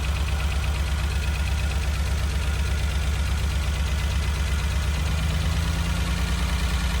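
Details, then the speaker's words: Renault Alpine GTA Turbo from storage, just started on starting fluid: uneven, lumpy idle with a stumbling beat; a fuel injector connector was not clipped in all the way, RPM rose once plugged in. "Oh my God. That injector wasn't... That injector was not plugged in all the way. Wow. Let's see if it runs smoother now. That injector wasn't clipped in."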